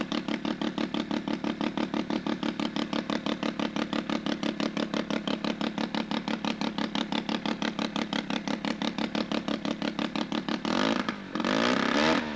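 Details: Sachs Wankel 303 rotary with a 1000cc Mikuni carb, points ignition, and muffler removed. Loud open-exhaust pops come quick and evenly spaced at a steady idle with no misses; healthy.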